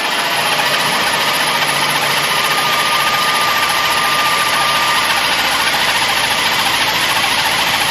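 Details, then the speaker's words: Chevy no-start at 0° fixed by moving a faulty connector: engine settles into steady idle with even hiss, no stumbling or knocking; starts and runs normally, check engine light still on. "I think it was the connector all right well that was easy fix"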